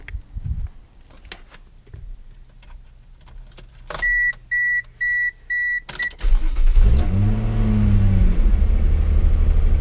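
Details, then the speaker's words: Mazda MX3 with KL V6 swap, after battery disconnect reset to clear codes: chime beeps, engine cranks and flares, idle hangs slightly high while the ECU relearns, dropping properly once warm; high idle during ECU relearn. "Slightly high idle at the start every time. It's still learning. So it's still slightly hanging high, but it's cooled down a bit."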